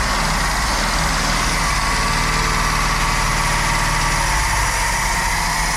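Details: 1960 Cadillac Coupe de Ville V8, first running after engine freed from decades stuck: loud, busy running with a slightly uneven beat that settles and steadies as it keeps going, smoking at first.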